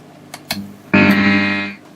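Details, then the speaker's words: Fender Hot Rod DeVille Mark III 4x10 valve amp with a Hammer ECC81 fitted in V1 instead of the 12AY7, after warm-up; loud steady buzzing tone near 200 Hz, a replacement ECC81 did the same; valve amp oscillation. "i'll give that a minute to warm up and i'm only going to do this for a second because it makes an awful racket"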